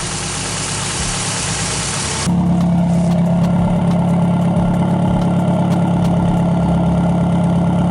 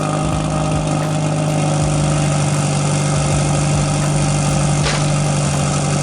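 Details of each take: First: 1994 Toyota Celica GT after a fuel pump replacement, with a bad fuel pump relay found as the real cause: a brief rush, then a steady, even idle with no stumbling. It used to stall within seconds and has now run for about 10 minutes. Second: 1994 Toyota Celica GT, cold start after a fuel pump replacement: the engine idles low and slightly unevenly and dies. The car usually stalls within a couple of seconds to a minute of starting; the owner suspects the fuel pump relay.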